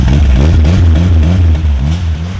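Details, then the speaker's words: Rear-wheel-drive Honda Civic, turbo engine, sitting on year-old ethanol: loud, deep, lumpy tractor-like blatting at idle from an exhaust leak where the turbo wastegate is falling off. "oh the wastegate's falling off that's why it sounds so bad"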